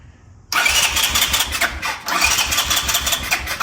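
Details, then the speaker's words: 1984 Honda ATC 200ES Big Red that sat over 20 years, after the neutral safety switch wire was grounded to restore electric start: silence, then it catches at once and runs at a lively, fairly even idle with a light blip, starting cleanly. "I have electric start now. All right, guys, so finally got it running here. So I'm gonna show you real quick. So that does fire with the electric start now."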